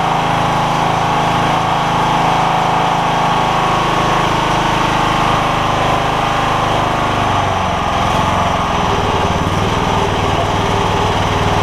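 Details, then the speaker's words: John Deere LX172 Kawasaki FC420V after replacing ignition coil, igniter and spark plug to cure loud backfire on starting: fires right up into smooth even single-cylinder beat, no popping or backfire; running healthy. "so it was something ignition related on this machine it seems like so I put an ignition coil in it an igniter and a spark plug and that seems to have done the trick"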